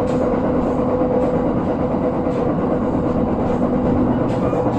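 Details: JR 701 series train on the Joban Line entering an elevated section, recorded 8 Jan 2021: dense running roar with faint regular thumps from a wheel flat, louder on the viaduct.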